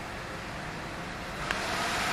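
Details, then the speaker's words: Gigabyte RTX 3070 Vision graphics card at about 73 degrees during a screen-blank fault: loud rushing fan roar that swells louder and brighter as the fan races to full speed and the display signal cuts off. "The screen goes blank, the fan spins at high RPM, and the signal is now cut off."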